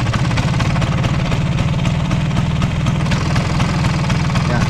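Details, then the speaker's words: Vespa idling with a loose, uneven rattle riding on the engine beat; cause is a worn, flared (mekar) clutch housing, not yet replaced and kept as an example of internal engine trouble. "Nah itu berarti ada masalah di dalam mesin Vespa kalian masalahnya apa itu macam-macam kayak gitu bisa dari rumah kopling kali yang dialami sama si Bagol silver Mini rumah koplingnya itu udah Mekar"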